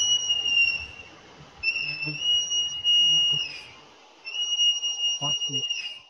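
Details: Customer-reported noise likened to a whale from SeaWorld on an SUV: a loud, steady, high-pitched squeal holds for seconds, then cuts off and returns, consistent with brake squeal under braking.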